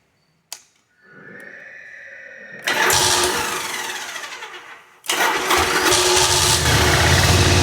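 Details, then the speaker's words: 1985 Yamaha Virago 1100 V-twin, sat eight years, with fresh fuel and a new battery: long cranking, then a rough uneven catch that stumbles and picks up, starting only on full choke; owner suspects the carbs need cleaning. "again she needs the full choke I [Music] guess"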